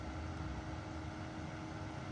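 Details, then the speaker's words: Parked Volvo XC60: a steady, loud rushing roar with a low hum underneath and no speed change. The radiator cooling fan is running very hard and loud, likened to an airplane. "この音はとても大きいです車のファンは本当にうるさい"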